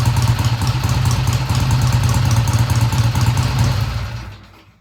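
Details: 1971 Triumph T120 twin, first start after repair with valve clearances freshly adjusted: lumpy, quick beat that starts fast then settles into a steady idle with no knocks or rattles, then the engine cuts off. It sounds good; no tach is connected.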